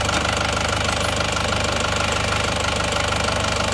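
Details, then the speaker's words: Isuzu Panther diesel at steady cold idle after replacing imitation pistons with genuine Isuzu pistons, temporary thermostat housing fitted: dense, even clatter with no heavy knock, much smoother than with the imitation pistons; normal idle. "jadi ternyata suaranya suaranya sudah halus bagus perbedaannya sudah sangat jauh ya antara seer yang asli dan seer yang KW"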